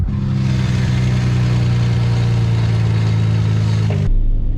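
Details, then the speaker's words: 500HP modified Nissan Skyline GTR with aftermarket twin-disc ceramic/carbon clutch, pedal pressed in: steady engine drone with faint light chatter; normal twin-disc clutch sound. "i'm going to push the clutch pedal on for you guys to hear what the twin just sounds like"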